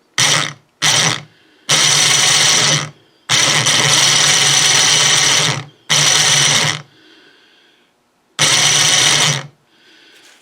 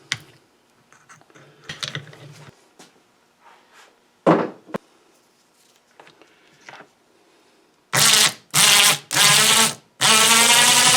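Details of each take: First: 12 V winch motor that rotates a snow blower chute, bench-run on a 12 V battery while disassembled for service, before greasing: short bursts of high, rough, gritty, crunchy gear whirring; gear noise. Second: Snow blower chute-rotating winch motor after disassembly and regreasing the gears: four short even runs with a smooth steady whir, no grinding or rattle; previously made a terrible noise, now sounds healthy.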